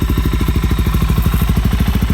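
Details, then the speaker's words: Wrecked 2019 Suzuki DR-Z400 supermoto from salvage auction: deep, even thumping at about eleven beats a second, steady and crisp with no knocks or rattles; healthy single running well. "Dang, that sounds good. I love it. That sounds really good. That sounds amazing."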